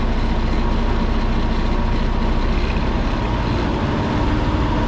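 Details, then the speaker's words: Truck diesel, rebuilt about a year ago, cylinder head replaced a month ago, coolant leaking from expansion tank, speed sensor code, during parked regen: steady heavy drone with firm even bark; engine brake engaged and working. "there we go jake brakes are working you can always tell Jake brakes are working because number one you can hear it and number two there are 100% that's a good sign"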